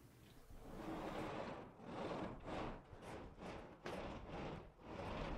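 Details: Pocket door after silicone spray on the roller wheels: soft, even rolling swish as it slides back and forth, no squeal or chirp, running quietly and freely.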